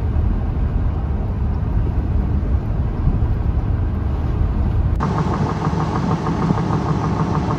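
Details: Goodyear Wrangler Authority tires on a truck, recorded on a phone inside the cab when new, give an even low road rumble with no rising hum or cyclic growl. This is normal tire road noise.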